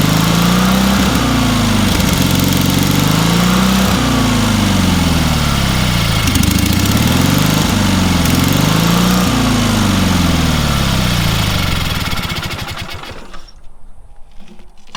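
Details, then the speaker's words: Engine on a free, long-neglected trailer-mounted man lift (cherry picker), water in the oil and corroded intake, throttle half open; starts and runs strongly, rhythmic speed rise and fall every couple of seconds, then shuts down; starts easily, runs amazingly well. "That thing runs amazingly well for what it is."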